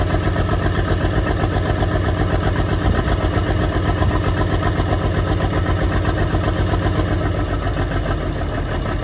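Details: Track Marshall 90 diesel, first start, at idle: heavy chugging with an uneven, stumbling beat from a misfire; the engine block was cracked.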